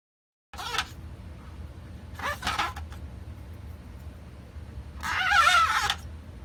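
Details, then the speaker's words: Pioneer CLD-53 laserdisc player, tray loading-mechanism gears before cleaning and regreasing: three short scraping, whirring bursts over a quiet hum, dry and gritty. Gear noise from lack of grease. "you know why it sounds like that cuz there's no grease"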